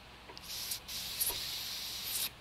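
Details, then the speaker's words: Coleman CQ table lamp valve, after ultrasonic cleaning, blown through with shop air: only short thin bursts of air hiss; valve not screwed out far enough, so little airflow. "that doesn't seem to want to do a whole lot let's see what we got here there it goes just didn't have it uh screwed out enough"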